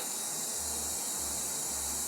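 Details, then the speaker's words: 1977 Datsun L28 leak-down test on cylinder one: a steady air hiss leaks into neighbouring cylinder two, with a little also past the rings. Compression was about 90 in cylinder one and 120 in cylinder two. Blown head gasket between the two cylinders. "Yeah, I think that settles it. Blown head gasket."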